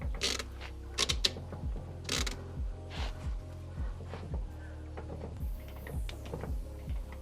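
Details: B20 Honda Ballade wheel turned by hand with CV boot out, wheel shaking: scraping grind with a click roughly every second; owner had suspected broken CV rather than diff.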